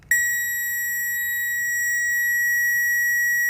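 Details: Relay test with a power probe, relay removed from the socket, on a service-truck work-light circuit. A steady high-pitched tone sounds continuously for over three seconds, confirming twelve volts at the relay socket pin.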